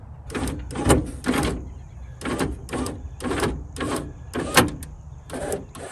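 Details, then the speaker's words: 1994 Ford Ranger XLT 4x4 driver's power window after lubing: short, even whirring runs of the window motor with no grinding; the window now works. "we have a working driver's window that's very nice"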